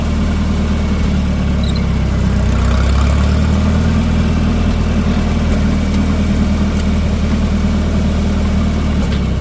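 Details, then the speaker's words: Minneapolis-Moline M670 tractor after engine rebuild: loud, deep, even rumble holding steady for ten seconds with no knocks or misses, idling cleanly. "Well, it sounds like it runs pretty good."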